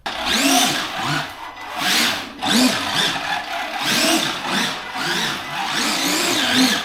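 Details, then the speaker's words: Arrma Gorgon RC truck after fixing gear noise from a hard nose hit and resetting gear mesh with slight wiggle: short throttle blips with clean rising and falling whine, no crunch or clicking; drive works again. "And now it works again, just like that."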